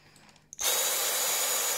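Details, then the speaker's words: Dyson V6 cordless vacuum, after disassembly and cleaning of a clog: motor spins up in a split second to a strong, steady high whine with no surging or choking; sounds powerful, nothing stuck. "that's out that sounds very powerful nothing is stuck"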